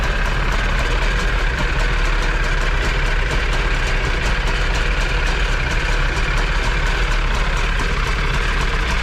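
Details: Jet boat two-stroke engine with freshly rebuilt carbs and new gaskets, running on a water hose: steady, even low rumble with a fast buzzy beat, no misses or knocks; idling smoothly.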